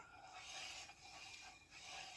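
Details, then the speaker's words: 1978 Dodge step-side truck wheel turning with a light, high-pitched rasp swelling and fading as the brake pads and caliper drag on the rotor, after fitting a rim that clears the calipers. "That that slight grinding sound you can hear is the the caliper on the brake pads."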